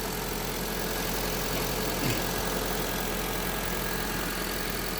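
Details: Honda Civic at idle after replacing the noisy belt tensioner bearing and idler bearing; even, smooth idle with a low steady hum, no whine or chirp from the belt area. Normal idle.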